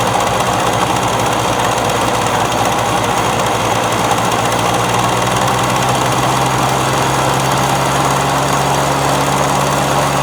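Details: Victa two-stroke lawn mower that would not start when bought, now running: loud, crisp two-stroke buzz holding an even, steady speed for ten seconds without stumbling or surging, healthy.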